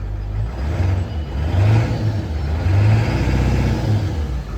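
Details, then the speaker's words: Ford 7.3 Powerstroke diesel truck after swapping injectors between cylinders 1/3 and 5/7: deep revs rise and fall cleanly in repeated blips, no miss or hesitation on throttle; normal revving after the fix. "And the truck's running great now. There's no miss at all when I get on the throttle now. There's no hesitation at all."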